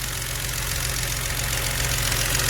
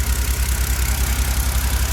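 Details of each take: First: BMW N52 engine, car sat about 2 years; idle has fast, fairly even light rustling tick about four per second that gets louder when warm; valve train knock, VANOS, oil pump and oil already changed without fix. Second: BMW N52 engine after timing chain system work for a knock (worse when warm, after ~2 years parked): low even idle pulse, no knock or tapping, injectors faintly ticking; smooth quiet healthy idle after repair.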